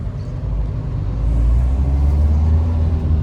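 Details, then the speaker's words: 2011 Mahindra Verito driving after rear wheel bearing replacement: even low road rumble, no growl or hum with speed; bearing noise solved, slight knock from something loose in the boot, not suspension. "ആ ബെയറിങ്ങിൻ്റെ സൗണ്ടും പക്കയായിട്ട്. നേരത്തെയും ബെയറിങ്ങിൻ്റെ sound നമ്മൾ ഓടിക്കുമ്പോൾ കിട്ടിയിരുന്നില്ല."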